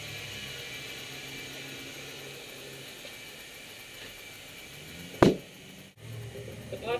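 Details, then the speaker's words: Large off-road tire being re-seated after de-beading with a high-lift jack to clear dirt from the rim: quiet hiss of air filling, then one sharp loud pop with a short ring as the bead snaps onto the rim, which is normal. "popping noise that you'll hear is normal. That's just the tire reseating to the rim."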